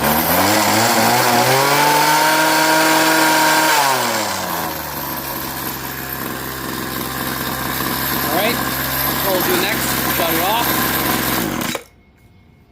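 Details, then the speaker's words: Craftsman 21cc Bushwacker two-stroke hedge trimmer after sitting close to a year: revs up to a steady high buzz at full throttle, then settles to a lower even run with no cutting out; low and high speed both fine. "The low speed and high speed seem to be fine. I don't hear any cutoff, especially when I go full."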